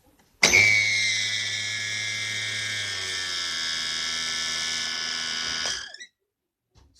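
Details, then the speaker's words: Braun CombiMax K700 food processor running: shrill, steady squeal over motor hum, likely a dry, unlubricated bushing; to be disassembled and lubricated. "до такой скрипящий звук но скорее всего его придется разобрать и просто смазать"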